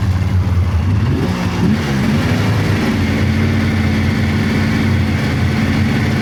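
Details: 1999 Polaris XCR700 triple two-stroke snowmobile, after adjusting belt deflection on the adjustable clutch: the engine buzz rises and falls through idle and throttle with no belt squeal. Jetted fat; clutch engages below 4,000 rpm.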